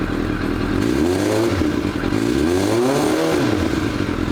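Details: Warm idle on a motorcycle with the choke off; revs dropped and recovered. A loose, uneven rattle rides over the engine. Owner suspects loose clutch plates; the exhaust was checked and is not loose. Source unconfirmed.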